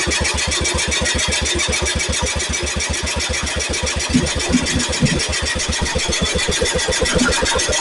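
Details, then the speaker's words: Cub Cadet with Kohler K161 single-cylinder after a new head gasket, cleaned carburetor and new condenser: starts instantly, then a crisp, even beat at steady pace with no popping or backfiring; points not yet adjusted. "I was going to adjust the points but my God it just it just literally lit off and no popping no backfiring"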